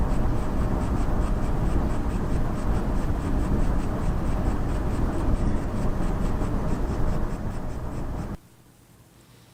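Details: AMD RX Vega graphics card making a dry crackling crunch pulsing about three times a second, synced with its LED tachometer, then cutting off; distinct from coil whine, cause unknown.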